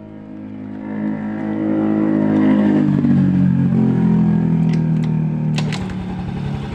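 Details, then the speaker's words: Yamaha Mio M3 that won't start on the electric starter starts on the first kick and settles into a smooth, steady idle; the engine itself is fine. Electric start cranks very weakly, like a compression leak, though there is none. "kali pancal langsung bunyi ya teman-teman ya satu kali pancal langsung bunyi untuk engkolnya tidak untuk mesin tidak bermasalah ya"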